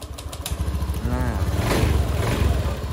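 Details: Honda Beat Street scooter after clearing MIL code 12 (injector) blinking, warning light no longer blinking: starter catches quickly and settles into a steady, even low putter with a brief blip; clean start and idle.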